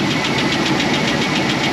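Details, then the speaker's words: 2004 Chevy Express 4.8 V8, cold idle, some smoke: fast, even ticking following engine speed from sticking hydraulic lifters; oil pressure adequate, noise fades as engine warms. "botadores que empuja el árbol de leva para las válvulas Y por qué se sabe que es eso porque bomba de aceite tiene la presión adecuada y ya en caliente se le quita"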